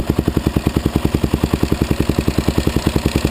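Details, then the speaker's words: Suzuki LTZ (DRZ-type) cam chain tensioner noise: quick, even clicks on every idle beat of the single from a slack cam chain, as the supposedly automatic tensioner failed; the fix is turning the adjuster in until the clicking stops, then tightening the nut. "what it sounded like before that was the noise was making so we're going to just take this turn it in till we don't hear it no more"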